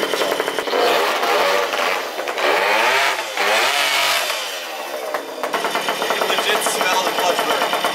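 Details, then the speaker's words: 1977 Puch Maxi moped built to 64cc, engine runs well: revs flare to about 10K RPM and sag repeatedly as the clutch grabs, slips and disengages, burning smell noted; slipping centrifugal clutch. "can legit smell the clutch burning on it, and you can just hear it because the motor will just, like, it grabs for a second and then just spins real quick to, like, 10K RPM, and then it'll grab again, and you can just feel like it's, like, disengaging, engaging, disengaging."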